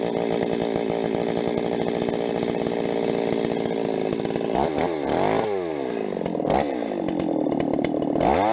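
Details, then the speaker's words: Rebuilt Stihl 026 two-stroke chainsaw, cutting: full-throttle scream in the cut with occasional pops and stutters at the top end; mixture tweaks didn't help, owner suspects spark plug too hot, unconfirmed. "overall thing runs pretty good so far I don't like that popping though so I'm going to pull that plug see what that looks like maybe have to put a different one in there that thing maybe's too hot"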